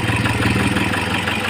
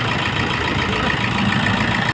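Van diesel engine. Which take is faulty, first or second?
first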